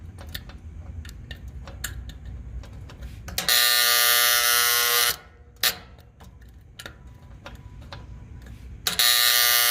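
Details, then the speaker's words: HVAC outdoor unit contactor fed 24 volts from the thermostat signal gives quiet ticking, then a loud harsh electrical buzz for about two seconds each time voltage is applied; the contactor is sticking and failing. "you can see this is the problem that we were having earlier I keep applying 24 volts with the contactor"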